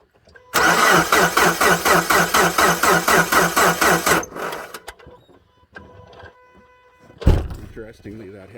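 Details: 2010 Subaru Forester 2.5 with replacement JDM engine, cold (coolant -6°C), no codes: even cranking about four turns a second, around 120 rpm, never firing; coil pulses present but no spark; new starter fixed it; crank no-start.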